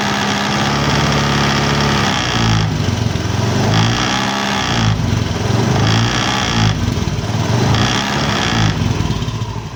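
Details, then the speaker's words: Honda Beat FI scooter idling, right side; buzzing rattle in rhythmic bursts about every second, cooling fan cover loose on its worn bolt mounting boss. "Oke teman-teman bunyi-bunyi seperti itu itu disebabkan karena cover kipas ini dia aus di kedudukan"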